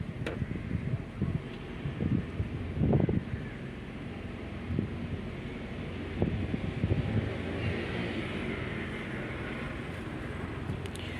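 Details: Engine with slight shaking and vibration, live data showing misfire counts on cylinder 1 when revving: uneven revs with irregular stumbles and low chuffs; mechanic suspects the coil and plans to swap coils 1 and 2, otherwise suspects an injector.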